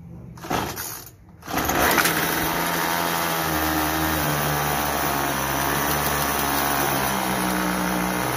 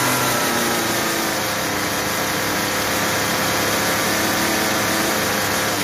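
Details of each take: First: Troy-Bilt TB32EC two-stroke straight-shaft trimmer, stalling on trigger and head spinning at idle: idle buzz steps up and down as the carburetor idle screw is turned, counterclockwise raising rpm, clockwise lowering to stall. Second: Troy-Bilt TB32EC two-stroke trimmer after carburetor idle adjustment: steady, even buzz with no sputter or dying, head stops at idle without stalling and does not die on trigger; fixed.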